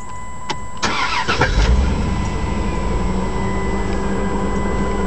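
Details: Chrysler 300M idling in gear after about 10 miles of driving until near overheating: uneven, loud clatter, usually random and only at idle, louder and steadier now. Owner suspects a lifter tick or spun bearing; engine clanking at idle.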